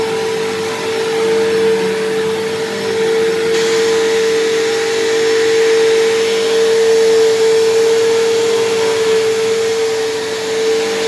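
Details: Dyson DC07 vacuum, left sitting a long time: a loud, harsh, steady high-pitched whine, around 450 Hz. Worn motor bearings, possibly dried from sitting, have made it louder than before and much louder than a similar Bissell.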